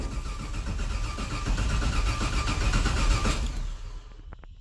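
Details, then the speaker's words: 1969 Camaro with LS3 swap on a Holley ECU, first start: catches and runs rough and lumpy with sharp pops and a ragged beat, basically on four cylinders; coil packs wired in the wrong firing order. "all right got a whole lot of backfiring sputtering let's double check everything and uh i'll get back with you guys"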